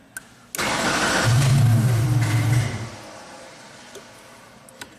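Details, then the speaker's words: 1999 Genie Z45/25J lift with a fuel-injected Ford LRG 425 four-cylinder: the engine catches and runs about two seconds, then dies cleanly because the engine control module shuts it down when it can't control the electronic throttle. "the engine stalls because the engine control module is shutting it down because it can't control the throttle."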